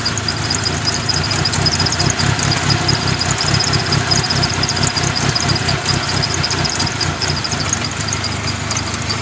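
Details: 1997 Mitsubishi Eclipse RS idling with an uneven, stumbling low pulse and irregular ticking that never settles. The owner says it overheats when sitting still but runs fine when driven; the cause of the rough idle is unknown.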